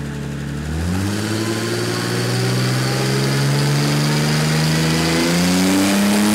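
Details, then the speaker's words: 27-year-old Mercedes OM606 diesel after cracked-block repair, on dyno, near operating temperature, bigger supercharger pulley fitted: pulls up smoothly under load, steady even drone without blower whine; normal running. "I've put on the bigger supercharger pulley as you can hear it's running but it's not whining"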